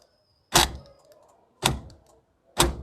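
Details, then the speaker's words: Hyundai Eon central locking, left-hand door lock actuator cycling by remote: three loud sharp clunks about a second apart, far too harsh; the motor bracket/support is broken, letting it slam; fixed with a cable tie. "यह बहुत ज्यादा active sound कर रहा है इसका reason है यह इसका बिल्कुल टूट गया है इसके यह सपोर्ट रहता है"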